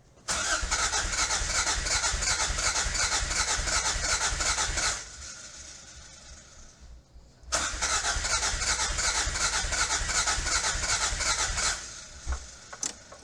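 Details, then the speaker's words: 1986 Toyota MR2 AW11 salvage-yard car, new fuel tank fitted but still not getting fuel to the engine: two steady four-second bursts of cranking with no catch at all; owner suspects the injectors aren't working. "God, so close. Let's see if it'll. Those injectors are not working. It's the injectors."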